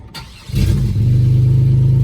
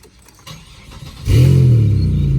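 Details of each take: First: 2001 Chevy Impala, 3800 Series II V6, revived after being thought to need a motor: it catches after a brief crank and settles into a smooth, steady run with no misfire or ticking. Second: Chevrolet Impala 3800 Series II V6, about 142,407 miles, catalytic converter cut out and replaced with flex pipe: cranks, catches, then a loud, deep, droning idle with little muffling.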